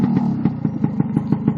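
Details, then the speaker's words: Newly built two-stroke being run in, rich screw set about two turns out. Crisp, even popping at tickover, dropping straight back after a rev; normal idle, though the owner thinks it may be running slightly rich. "and if I rev rev the engine can you hear that it goes straight down immediately back down to um take over again that's how I like it"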